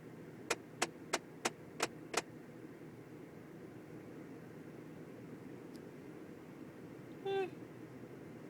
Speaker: no idea what that is. It almost sounds like something trying to get out of there.